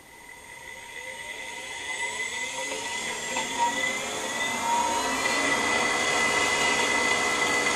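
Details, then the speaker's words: Siemens four-pole AC motor on motor controller at full throttle, 200 Hz, about 6,000 rpm: clean whine climbs steadily in pitch to full speed with a steady inverter tone; smooth, healthy run. "when we go to Full Throttle we're getting about six k out out of this thing that is just so smooth"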